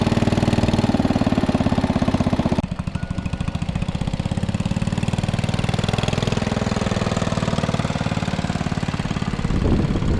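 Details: 1961 International Cub Cadet Original tractor, 7 hp Kohler single-cylinder: steady thumping at idle, then a lower even beat while driven, no misses or knocks; runs properly.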